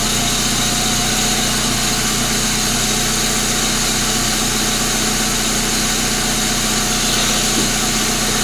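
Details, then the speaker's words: 1999 Pontiac Grand Am, rebuilt GM LD9 2.4 Quad 4, first start-up after rebuild: engine idling with harsh gritty rasp on top from the grinding AC compressor clutch on the serpentine belt; compressor shaft seal also leaking, compressor to be replaced. "this other ac compressor clutch making some noise so so let's make sure it's something on that serpentine belt before we go any further"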